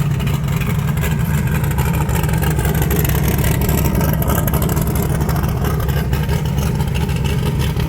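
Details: 1980 Trans Am with turbocharged Gen 1 small-block Chevy (blow-through carburetor), after new valve seals: loud, deep, steady engine sound with no knocking, ticking or misses. Earlier heavy exhaust smoke is now gone, with only a faint puff at cold start. Runs healthy.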